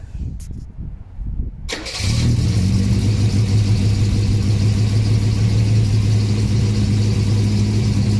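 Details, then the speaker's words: 1979 Volvo 240 with exhaust swapped from another 240, new front gasket: cold start with manual choke high idle at about 1500–2000 rpm, brief crank then steady fast even idle, a little blue smoke; clean normal cold start. "so this right now is cold start and the high idle's on with the manual choke at about 1500 to 2 grand as you can tell it starts up every time"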